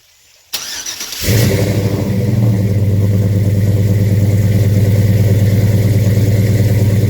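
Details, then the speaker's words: 1968 Chevy C10 with a 5.3 LS from a 2008 GMC Sierra and Flowmaster mufflers: the fuel pump buzzes on, a quick crank, then the V8 catches cleanly and settles into a steady, deep, even burble; a normal start and idle. "Let's go ahead and set you up for a start. You hear the fuel pump kind of kick on here."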